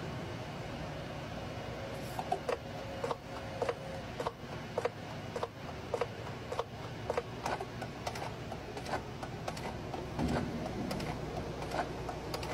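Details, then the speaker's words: Renault D Range truck gearbox after flushing out milky oil, during gear control reinitialisation: sharp clicks and clunks about every half second as the solenoids cycle under pressure to purge air. Normal. "so what this does is Purge the system of air um by operating all the solenoids inside sever times under pressure just to release the air from the circuit"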